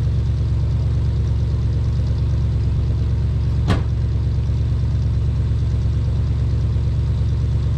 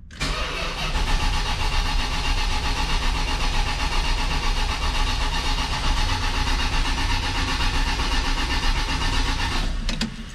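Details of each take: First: 1979 Dodge Lil Red Express truck, first start after six months of winter storage, about 55°F, slightly slow crank on 15-year-old battery: deep, steady V8 idle, even low rumble, no ticking or stumble; sounds healthy. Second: 1979 Lil Red Express truck after six months of winter storage, about 55°F, 15-year-old battery: about ten seconds of steady, slowish cranking to build oil pressure and bring fuel up, without firing.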